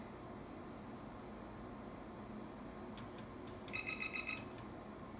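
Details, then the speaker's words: 1987 Commodore Colt PC-10 8088 XT clone booting: faint fan hiss, then a brief burst of quick high chirps from the built-in piezo speaker after the 640 KB RAM count; normal POST chirps. "it'll do that twice and then you're gonna hear the little chirp chirp chirp from a little piezo speaker that's built in"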